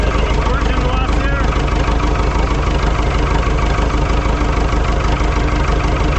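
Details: Ford 2701E grapple log loader with an IEL 240 cu in four-cylinder diesel (242DF), started after sitting 15 years on old fuel. Heavy, low, even chug at about three beats a second, no knocks or misses: running cleanly.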